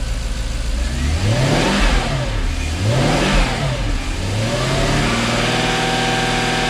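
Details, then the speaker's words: Jaguar XK8 V8 after ignition coil replacement cured a misfire, idling probably around 800–850 rpm: three clean throttle blips rise and fall smoothly, then it settles straight back to a steady idle with no stumble or misfire. "excellent and then she settles back straight away"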